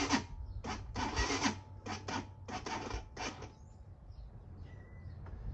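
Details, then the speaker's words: Slow, labored rasping crank in short bursts that dies without firing on a 2019 Hawk 250 motorcycle (~8,000 miles, 110 main jet) at cold start with choke set; weak original battery struggling in the cold. "And that's one of the things that sometimes happens when it's cold, is the battery is just kind of not the strongest. Of course, we do have 8,000 miles on the original Chinese battery."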